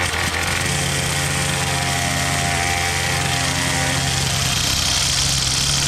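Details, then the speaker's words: Troy-Bilt TB22 two-stroke trimmer with new carburetor, new string and a cut-down bump-head spring: steady, even buzzing note with no stumbling or surging; running smoothly after repair. "so that's it that's all it took was an eight dollar brand new carburetor and some string we got this baby running"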